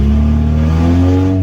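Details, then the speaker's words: Prelude run with the EGR valve unplugged/removed ahead of an EGR delete: smooth, even idle that picks up cleanly when blipped, with no misses or knocks. It idles and revs fine. "Okay, so you can see it's idling fine and it revs fine, so"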